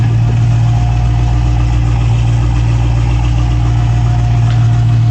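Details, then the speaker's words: 2016 Dodge Challenger Hellcat V8 after replacing all 16 spark plugs: deep, even idle with steady low rumble, no stumble or misfire; car missing a wheel so not yet test-driven; runs fine. "sounds like it's running pretty good you can't drive it because it's missing a wheel but once the customer puts the wheel back on it's gonna have to go driving and see don't seem like it's misfiring or anything like that so we're good"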